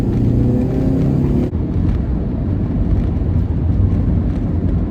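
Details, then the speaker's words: Car on test drive after replacing a badly stuck, worn lower ball joint with a junkyard steering knuckle: smooth steady road rumble, no grinding; previous grinding thought to be a wheel bearing now gone. "i think we fixed it folks i think that was it i've thought all along that this was a wheel bearing issue"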